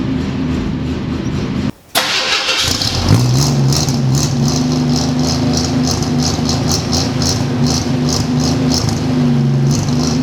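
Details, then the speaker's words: 1946 Studebaker M5 pickup with AMC 258 straight six, cold spring start at 70°F: cranks, catches, then a cold idle that wavers and lopes unevenly; cold-blooded carburetor, rough cold idle. "Oh, there we go. Cold-blooded. Come on, man. It's way cold-blooded."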